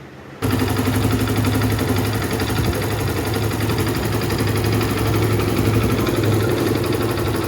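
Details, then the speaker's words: 2023 Hero Splendor BS6 motorcycle after timing chain reset to the T mark: small single-cylinder engine idles evenly with a steady low thrum, now silent, no ticking or rattle. "Bike का engine बिल्कुल ही silent हो चुका है"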